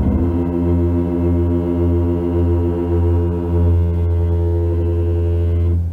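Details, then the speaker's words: Kia EV6 electric car creeping along in traffic: a deep, droning groan at a steady low pitch holds for several seconds, then fades. Brake groan at low speed. "When you're creeping along in traffic, this car makes a weird groaning sound from its brakes. Have a listen to this."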